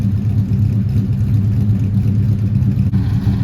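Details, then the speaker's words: 1971 Dodge Demon 340 V8 driving after valvetrain repair: even, deep rumble under way, smooth firing of all eight cylinders with no more ticking from the top end; valvetrain now healthy. "Oh yeah, just a regular old daily driver. Sounding pretty good. No more ticky noises. Seems happy."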